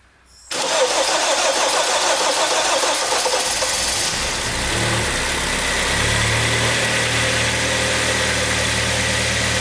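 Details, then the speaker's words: 2012 Kia Sportage 3, G4KD engine, 76,000 km, first start after overhaul for scored cylinders/knock, fresh antifreeze, oil still low: brief crank, clean catch, even steady idle, no knocks or ticks; normal start and idle. "sage работает давай руку с очередным почином поздравляет со вчерашним днем рождения и с очередным баг с почином все работает"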